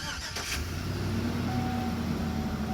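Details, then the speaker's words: Chevy Tahoe, 338,000-mile engine after lifter and rod repair, about 5 days and many miles later, run on 5 quarts oil plus 1 quart Marvel Mystery Oil: quick catch, even steady idle, no knocks or ticks; sounds like new. "She still sounds beautiful. Sounds like it did when it was brand new."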